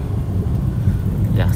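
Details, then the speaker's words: Peugeot 206 road test after replacing failed left CV joint with a used part: steady low road rumble while turning, no clicking or knocking; CV joint now normal, earlier right-side ball joint noise also gone. "Oke, sudah nggak bunyi ya, belok juga nggak bunyi, sudah oke."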